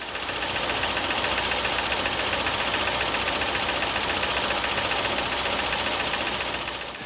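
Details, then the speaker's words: CFI engine at idle, heard from above: quick, even, light metallic knocking with a hollow ring, nearly four per second; wrist pin knock, which grows louder at 2000 rpm. "you know when those engines are revved up to 2000 RPM the wrist pin knock is going to be magnified like you've turned the volume way up in your TV and driven your neighbor's nuts"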